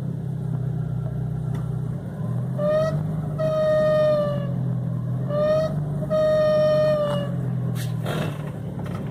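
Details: 2006 VW Gol G4: a clear, high squeal in short bursts over a steady idle, sagging slightly in pitch. It occurs parked or driving despite replaced belts; source not pinned down.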